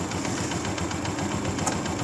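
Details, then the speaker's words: Honda CG125 2022 after engine noise fix, magnet cover still off: even quiet idle and blips with a light steady tick over a smooth low hum, no knock or rattle; engine now healthy. "माशाल्ला बिल्कुल ही बिल्कुल ही बे आवाज बिल्कुल ही soundless हो गया"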